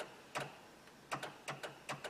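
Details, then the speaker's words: Honda Odyssey with engine off and battery dying overnight from a parasitic draw: crisp double clicks repeating about every half second, traced to a relay cycling inside the sliding door area, reached through the speaker hole. "it's definitely in the door and then there's a noise back here like just the clicking yeah"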